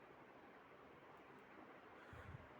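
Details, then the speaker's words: Crompton Greaves High Speed 48-inch ceiling fan running normally at speed 3: a steady airy whoosh with a low, faint motor hum; slight wobble from distorted blades. "You can hear the motor humming. This has a legit startup sound actually."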